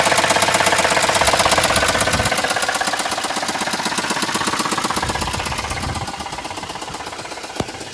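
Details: Hyundai Santa Fe or Kia Soul, just after fresh oil, a new filter and Rislone engine treatment: a sharp, regular knock at about 160 per minute stays steady over the idle; the treatment has not cured the internal knock so far.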